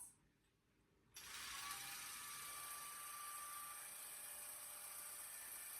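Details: Gammill Classic Plus longarm with Intelliquilter, stitching a straight horizontal line across the quilt top with the horizontal lock on. After a quiet pause it starts to a steady, even high whir with no knocks or grinding. Normal stitching.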